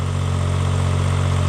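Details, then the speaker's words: 1995 Subaru Domingo micro camper, barn find left 12 years: loud, deep, steady drone at idle with a rough low throb; exhaust worn out and too noisy, needing a new exhaust. "same better days hasn't it a pump there as well that exhaust sped new one I don't know you can hear me because of the noise of it so new exhaust"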